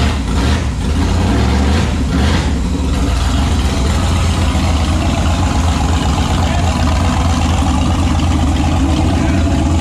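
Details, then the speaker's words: Turbo 5.3 LS V8-swapped Mustang, naturally aspirated startup after correcting reversed injector harness wiring: a couple of blips, then an even, steady idle with no misses or stumbles. "all right so that's now a successful na startup one day behind schedule but wow that's okay"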